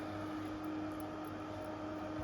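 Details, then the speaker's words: Intervent 4-inch white axial extractor fan with pullcord (NVF100P), new, on test: steady airflow hiss with constant mid-pitched motor whine, no rattle or scrape; louder, whiny motor but running normally. "This one's got a louder motor than the other one. Motor just whines with these cheap fans."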